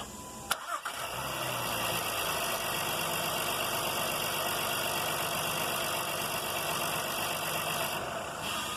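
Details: 2016 Honda Pilot V6: short crank catches right away and settles into steady, even idle with no grinding, starter engaging cleanly; normal start.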